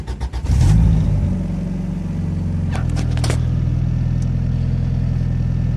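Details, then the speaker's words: Honda EG with a cammed B18B1 and turbo on its first E85 cold start, with 1000cc injectors and air-fuel ratio around 14.7. Quick catch, then a smooth, quiet, steady low idle with no knocks or misses. Normal cold start. "that's the E85 cold start starts up beautifully air fiels right down the 147 and this thing is incredibly quiet"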